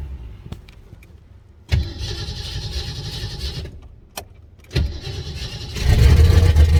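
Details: '89 turbo Fox-body Mustang just after installing a Melling high-volume oil pump, timing set at 10°, distributor possibly a tooth off: several cranks and brief catches, then a rough, late-sounding uneven idle. The cause is unknown (number one plug was left out).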